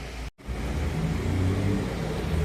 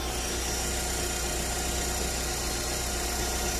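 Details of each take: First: Fiat 1.4 Fire engine running after a screeching, bearing-like noise was cured by replacing the filter; steady even low rumble with no ticking or rattle, problem not returned; normal running. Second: 1.4 Fire engine car at idle with a Metal Leve oil filter fitted: steady harsh whine like a worn bearing or steering box; belts and injectors checked, whine traced to the vibrating oil filter, to be replaced with a Vega filter.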